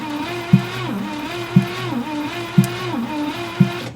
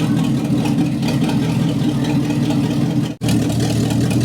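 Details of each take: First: 1962 Cadillac Sedan DeVille, not run in over 30 years, cranking during a compression test (45–60 psi): slow starter cranking with a heavy thump about once a second in step with cranking; knock of unknown cause. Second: 1962 Cadillac Sedan DeVille 390 cubic inch engine, first run after 30+ years parked, vacuum leak at throttle adapter plate plugged, idle raised, no exhaust fitted: steady even loud raw rumble, no misses or knocks; normal idle.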